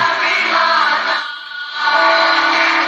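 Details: Kriesler 11-20 valve radio after repairs and valve swaps: clean, steady music and singing with no low putt-putt underneath; the set now plays properly, no motorboating.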